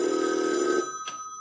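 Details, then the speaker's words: 1965 Northern Electric TeleTrainer for Bell Canada, two-line phone simulator with original 2N696 transistors, handset hung up and line rung: bright steady bell ring under a second, ringing out cleanly; ringer works normally. "And there we go. The bell is ringing. Pretty cool. I love it."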